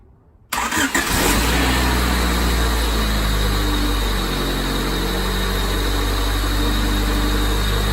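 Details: 1995 Honda Civic Si hatchback with solid racing-style eBay lower engine mounts: engine fires and settles into deep, droning idle with heavy low buzz; mounts transmitting a lot of vibration.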